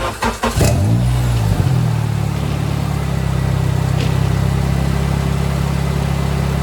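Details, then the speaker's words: K-swapped Honda EG start-up; runs, drives, all fluids good. Brief crank, quick catch and a short flare, then a steady, even idle with no misses or knocks: super healthy motor, normal idle. "Yep, so there it is, running. It runs, drives, all fluids are good. That is a super healthy motor."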